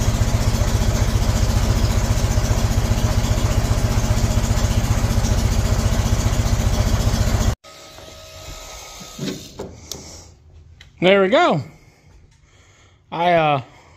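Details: 1975 MGB running off a five-gallon gas can: rough, lumpy idle with uneven beat around 220 a minute, then cuts out; owner suspects wrong firing order or cap on backwards, points also questioned; misfire.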